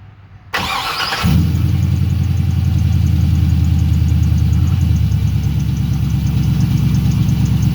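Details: LS-swapped V8 cold start at about 30 degrees after replacing makeshift spark plug wires with new ones; cranks briefly, catches, settles into steady even idle, no misfire, only a squeaky belt.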